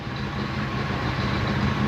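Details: Johnson Evinrude outboard on pontoon boat after replacing ignition switch and rectifier; steady even low rumble with no knocks, misses or surging, smooth healthy idle.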